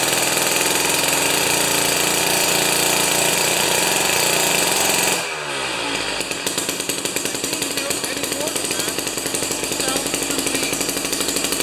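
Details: Jiffy 30 2-stroke 3HP ice auger after carburetor work: high buzzing rev drops sharply to a quick even popping idle after mixture turned out from lean setting; running properly.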